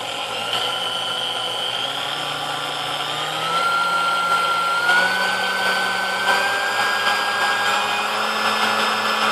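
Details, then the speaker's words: Vintage Sunbeam Mixmaster Model 10 that would not run, after the cord was replaced: run through its speeds, a smooth motor whine stepping up cleanly in pitch at each speed, no knocks or grinding, running normally. "I'm gonna go ahead we're gonna plug it in and hope we get a different result this time haha"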